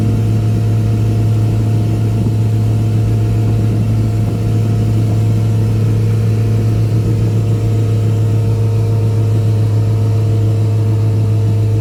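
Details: Boat outboard, back on after repairs, trimmed and run wide open on the lake near 5000 rpm and about 50–52 mph, above its 3500–4000 rpm cruise; mic behind the windshield. A deep, steady drone at constant high revs: normal wide-open-throttle running.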